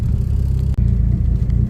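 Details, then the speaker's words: Drag-race Neon engine, cold start just after reusing a sanded and polished rod bearing that had caused knocking: steady, even low idle rumble with no knocks or ticks; healthy at idle before warm-up. "But for right now, it seems to be good. I'm gonna wait till it warms up, and then I'm gonna give it a few revs, see if I can hear anything in the engine"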